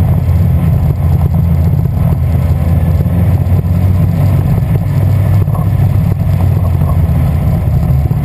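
Loud, lumpy low engine note with uneven pulses and occasional stumbles breaking the rhythm; points to a misfire.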